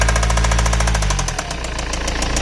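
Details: BMW E91 320d 2006, M47TU2D20 diesel idling; earlier squeaking changed to knocking; heavy steady rhythmic knock over the diesel clatter, continuous throughout; engine knocking, source not identified.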